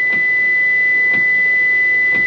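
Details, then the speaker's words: 2023 Hyundai Santa Fe after a jump start, negative battery cable reconnected: steady high beep with sharp lock clunk about once a second as doors lock and unlock by themselves; electrical fault, cause unconfirmed. "and you can also hear that beeping that's locking and unlocking"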